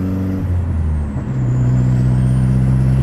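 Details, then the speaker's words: Golf GTI MK4 turbo driving after the fault code was cleared. Smooth, even engine drone, pitch shifting cleanly with throttle and no stumbles; running perfectly. "ah mano vai entender Talvez seja isso mesmo ó o carro mano tá perfeito perfeito perfeito não tem o que falar"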